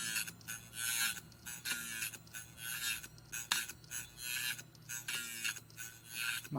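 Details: Hitachi Ultrastar 500GB hard drive (July 2009) on start-up: rhythmic metallic knife-sharpening scrape with a knock about every fourth scrape; platter appears tilted and rubbing, possibly shipping damage; motor suspected failed.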